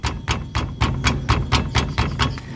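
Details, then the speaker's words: Astra/Vectra/Zafira brake caliper tapped by hand: rapid hollow metallic knocks, heard on cobbles or dirt roads; worn guide pin may let it rattle, started after fitting different pads, likely the pad: suspected brake pad rattle in caliper. "às vezes acontece desse pino aqui dentro que segura essa parte móvel ele gastar e começa a bater Olha aqui eu vou dar umas batidas aqui na pinça e vocês vão escutar o barulho"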